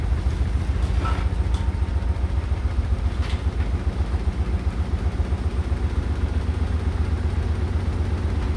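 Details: Hotpoint NSWR843C washing machine on final fast 1200rpm spin: heavy low rumble with an uneven clattering pulse about four a second throughout; rattling really loud, cause not found.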